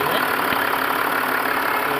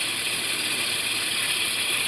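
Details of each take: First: Range Rover Sport after replacing the noisy belt pulley that made a chirping sound: steady, even idle with no chirp or squeal; engine runs smooth. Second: Range Rover Sport engine at idle. Steady high, thin chirp that disappears when water is sprayed on the belt; suspected pulley or tensioner bearing.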